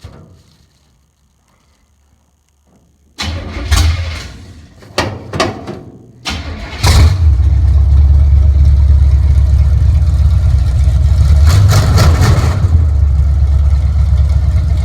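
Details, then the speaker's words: 1958 Chevrolet Apache with 454 engine on open headers, first start in 3 months after wiring distributor directly to battery: short cranking bursts, then a loud, deep, steady idle; starts and runs healthy. "So here we are, we're gonna start it up, and we're gonna hear this 454 in my garage for the first time in 3 months. You guys ready for this? Open headers. It's gonna sound awesome."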